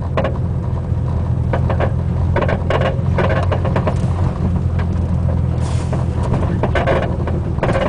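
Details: Front driver's side Buddy Club racing spec coilover creaking from the top mount with popping, clunking from the spring/shock body while driving, felt through floor and pedals, constant; cause unconfirmed.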